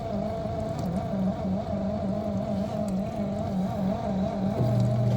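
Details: Miele G6625 dishwasher, about 7.5 years old, solenoid valve replaced earlier: steady drone with wavering low gritty growl from the bottom as the circulation pump motor runs after filling; owner suspects debris or failing bearings.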